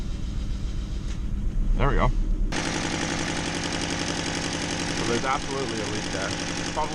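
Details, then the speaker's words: Honda Civic D16Y7 after start with spark plug leads accidentally unplugged: rough, uneven, shaking idle with a lumpy stumbling beat, running on only two cylinders. Cracked exhaust manifold also present. "oh you know why it's running rough oh god i unplug the spark plugs let's try again"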